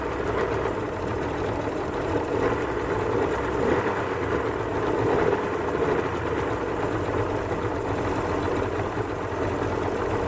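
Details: 1989 Suzuki 30hp three-cylinder two-stroke outboard idling evenly on all three cylinders, a steady buzzing burble with no popping, after its earlier two-cylinder running, popping and smoke were traced to a bad crankshaft seal and fuel pump; normal idle.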